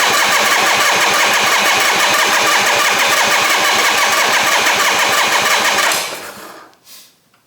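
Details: 1968 Harley-Davidson generator Shovelhead, electric start, fuel on: steady starter churn about three beats a second for six seconds with no firing; cranks without spark, traced to a dead ignition coil.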